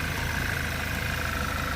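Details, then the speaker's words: 2010 VW Golf GTI 2.0 petrol, just fitted with a new battery while checking a suspected parasitic drain: steady, even low idle hum with a faint constant whine, no knocks or misses. "okay the new battery is in place engine is running it started absolutely perfect"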